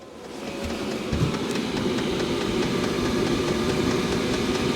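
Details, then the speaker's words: Diesel heater in a van turned up from halfway to full: fan swells to a steady rush, fuel pump ticks crisply about three times a second, putting out heat; normal operation at high setting. "or the fan kick on higher and you hear that fuel pump ticking more and it is putting on some heat"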